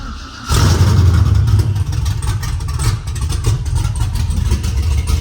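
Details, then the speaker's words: LS-swapped C10 with 408 LS2 and Torqstorm TS91R supercharger, no exhaust fitted, small fuel leak present: fires and settles into a loud, uneven, choppy idle with harsh exhaust bark; oil pressure up, sounds bad on open headers. "That's enough of that, because that thing sounds like crap. Sounds like I'm either idling through the harbor in a boat or getting ready to enter the demo derby."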